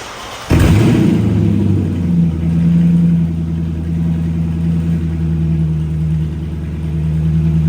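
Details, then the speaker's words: Loud, deep, raspy V8 rumble from an open pipe on a Dodge Charger with the exhaust cut right behind the cats and the system unfinished; owner suspects an exhaust leak, probably at the manifold, unconfirmed. "So, I don't think it exactly sounds the best. I believe there's an exhaust leak. I'm going to say it's probably where the manifold is, but I mean, it sounds good like that."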